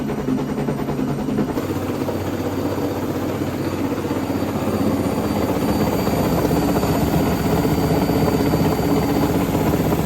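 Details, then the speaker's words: Hotpoint Ariston front-load washer while spinning: knocking about four times a second, first suspected as shock absorbers, actually a loose front counterweight on the tub; tightened to fix. "Проблема в том что передний противовес на баке разболтался Вот и собственно вот такой звук от него идёт стук"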